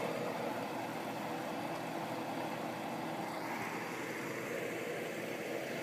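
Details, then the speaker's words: Vintage Sears Coldspot Thirty dehumidifier, about 40 years old, basement, just started: quiet steady hum with no rattle, knock or cycling, barely audible from a few feet away; compressor running normally. "this one can barely hear it when you're a few feet away"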